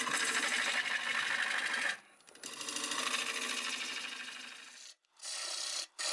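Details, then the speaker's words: Dry, hard boxelder bowl blank on a lathe at about 760 rpm, freshly sharpened gouge: harsh scraping chatter with an uneven stop-start rhythm; a sizable crack plus smaller cracks found in the spinning blank, and the turner backs off and changes angle fearing it may blow up. "Oh, I don't like that sound. So here's what I kind of just discovered. It's a pretty healthy sized crack."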